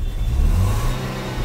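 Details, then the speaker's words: Nissan Sunny petrol with cylinder 1–4 misfires (P0301–P0304), after ECM repair and refit: engine revs and settles smoothly under throttle, even firing with no stumbles; misfire fixed, oxygen sensor fault code remains. "First class okay हो गई है। जी। गाड़ी में किसी भी प्रकार की कोई मिसिंग नहीं है अब।"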